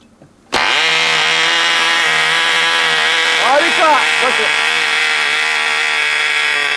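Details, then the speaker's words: 1980 Cox Babe Bee .049 nitro glow model airplane engine, restarted after a deliberate choking demonstration: steady high-pitched buzz, even and clean with no sag or misfire; healthy running. "Perfect. That's it. Yes, folks, a perfect 1980 model engine."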